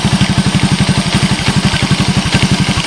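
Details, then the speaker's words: 1986 Honda TRX125 scrap yard ATV, hot-wired on a jump pack: small single-cylinder idling with even steady putter, no knocks, smoke or bottom-end noise; normal healthy idle. "the engine sounds like it's in fine shape I got no Cho no smoke she sounds good I don't hear any bottom end noise"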